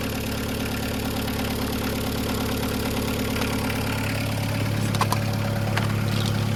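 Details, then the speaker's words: 1.9 diesel started on a jump pack with a weak battery: even, steady diesel clatter at idle with a firm low beat, no misses or knocks and no smoke; healthy-running diesel. "Oh, there you go. Yep, it sounds like a diesel. No smoke. Rust, but no smoke."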